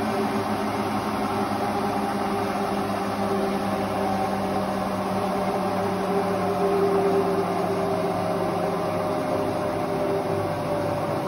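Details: Hotpoint Ultima WT960 washing machine after drum bearing change and retightening, at full spin: steady even whirr, smooth hum, no rumble or grinding; new drum bearings running quietly.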